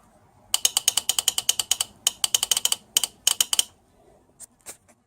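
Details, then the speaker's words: Toyota Kluger U151F automatic transmission SR and S4 on/off shift solenoids, removed and bench-tested at 10.5 volts: sharp, even metallic clicks about three per second, crisp with no buzzing, normal solenoid operation. "got the sr solenoid and the s4 solenoid out if the SRS only applied in third fourth fifth and s4 is only applied in fifth gear and I've got ten point five volts and you can hear it clicking away nicely there"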